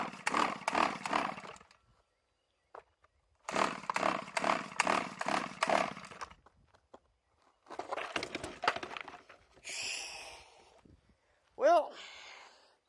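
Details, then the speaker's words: RedMax two-stroke weed eater that sat for years, run on mixed gas with Lucas 2-stroke oil and a bad carburetor, blew up right after a knock on throttle release: uneven bursts, dying and sputtering, engine failed and won't hold speed. "Guys, he just blew up. I'm being dead serious."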